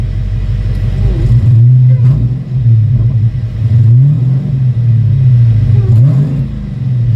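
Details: V8 on E85 after a new throttle body install, throttle warning gone: deep, loud burble with repeated blips rising and falling cleanly, idling and revving smoothly, whereas it wouldn't idle before; normal idle and revving.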